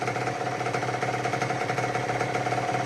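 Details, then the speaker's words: 2006 Honda CR85 two-stroke after Wiseco rebuild (new crank, piston, seals, bearings, gaskets), first break-in heat cycle: quick, even crackle at steady idle, no misses or rattles; normal idle. "We're going to let that idle for a little while, shut it down, let it get cooled off, and then we'll start it back up again"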